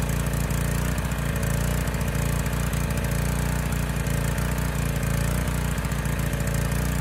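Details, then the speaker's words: Honda EG1400x generator of unknown history, compression good: low steady drone with a soft uneven pulse, a little slow at 58 Hz and 126.1 V. "assuming it starts and runs a little bit slow 58 hertz 126.1 volts"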